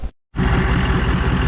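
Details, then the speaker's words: Ford F350 diesel with big turbo at idle: heavy rumble with a loose, uneven rattle on top from the exhaust, which had been tied up out of the way but still rattles. Exhaust rattle. "this i am not sure if you guys hear that rattling which i think you do and uh i tried to tie it up out of the way but it's definitely the exhaust"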